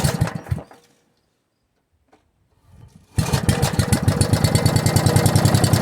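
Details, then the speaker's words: Log splitter single-cylinder engine with a new carburetor and muffler, cold test run before warm-up and tuning: the first pull dies, the second catches, then a steady, even putter with no misses. "Second pull and it started. That was good."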